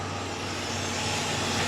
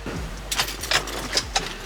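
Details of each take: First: 2006 Chevrolet Impala 3.9L after replacing the broken cat-back exhaust and checking the clamps: smooth, steady hum with an even exhaust note and no leaks, normal. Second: 2006 Chevrolet Impala 3.9L, before cat-back replacement after the rear exhaust section fell off: a few cranking bursts, then a loud, raspy, blatting idle. Exhaust leak.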